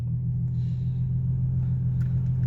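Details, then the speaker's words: Newly replaced blower motor on a 2005 Infiniti FX35 gives a smooth, low, steady hum with no scraping or grinding, blowing hot air but weakly because the cabin air filter needs changing; normal blower operation. "turn it up i hear it i feel hot air it's not blowing very very fast and that is because the cabin air filter needs to be changed"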